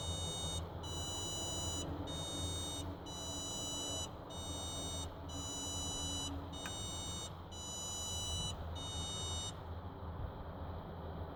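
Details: 2006 Ford F150 no start, no crank: a dashboard chime of 12 beeps, alternating 6 high and 6 low tones about one a second; water and oil were found very low and refilled, and a battery-disconnect reset failed.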